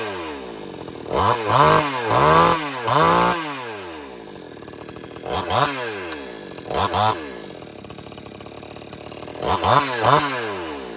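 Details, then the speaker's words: Old-school chainsaw, choke pushed in after first pop, running; trigger blips drop it from fast idle back to a steady, even idle, warming up before use. Quick throttle rises fall cleanly each time; healthy normal idle. "And when you got it running, hit the trigger to stop it from idling fast and get it go back to idle. Once it's warmed up, you're ready to go."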